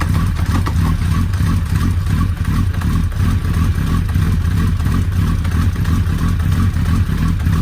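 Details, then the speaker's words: Suzuki Hayabusa first start after clutch-area repair, refilled with Motul 7100 10W-40: even deep idle rumble, steady firing, no odd noises; driveline lash clunks in gear are normal; normal idle. "voilà on a passé la vitesse est là un voyage à l'air de mieux fonctionner sans bruit bizarre"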